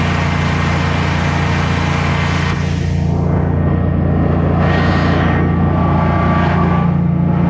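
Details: Generac Guardian 16kW standby generator running on gas after refurbishment, carrying close to 6,000 W of heaters: a low, steady drone holding pitch without surging or stumbling, healthy under heavy load and not hesitating.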